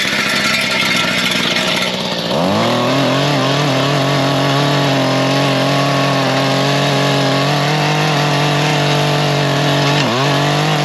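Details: Mantis two-stroke tiller after replacing its carburetor (C1U-K82/C1U-K54A) because the customer was unhappy after an earlier carb cleaning: catches after a couple of seconds, then a steady, even buzz with one brief dip near the end; running properly.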